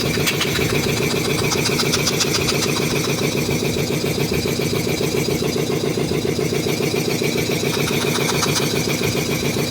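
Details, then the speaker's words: Restored DeVilbiss 445 air compressor, both heads on, valves fully open, before interstage coolers fitted: fast even chuffing with steady motor hum, no knocks or rattles, pretty quiet; normal running. "that just sounds cool. Oh fuck. And I'm sure the camera probably makes it sound louder than it is, but this thing, even just with the valves being completely open and shit, it's pretty darn quiet."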